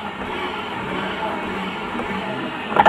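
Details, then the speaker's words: Honda Vario 125 CVT after replacing the part (klaker), rear wheel spinning: even, steady belt-drive whir, no grinding or gear-like noise, unchanged with pulley fitted or removed — noise cured, normal CVT running. "ketika dicabut pun nggak ada perubahan. Paham ya teman-teman ya? Berarti itu tandanya sudah sembuh. Jadi udah nggak ada masalah lagi di bagian belakang sini."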